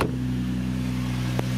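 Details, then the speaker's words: 2004 Infiniti FX35 with hesitation, check engine light and P0507 idle-too-high plus misfire/TP sensor codes: steady even hum with no stumble at around 1500 RPM versus the expected 800–900. Idle too high, before idle relearn. "oh my God 15 look at the idol it's too high should be around 900 800 900"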